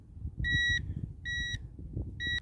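Three clean high beeps, each about a third of a second with short gaps, as the detector sweeps over a buried target.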